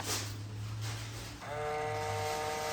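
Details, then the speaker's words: Range Rover with weak battery, fold button pressed: steady thin electric whine holds without change, mirror fold motor straining but never completing travel; owner blames low battery power, not confirmed. "Oh, you can hear it trying to go. But these mirrors do fold in and out once there's power. It needs a new battery, so all the functions aren't gonna work."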